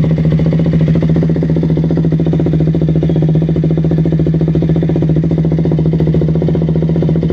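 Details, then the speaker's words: 2016 KTM Duke 200 single-cylinder idling after fuel pump hose replacement cured no-start, power loss and stalling; fuel pressure steady 40 psi; smooth even beat with no misses or stumbles; normal idle. "try natin kung magi-start yung motor 40 psi steady na siyang 40 psi"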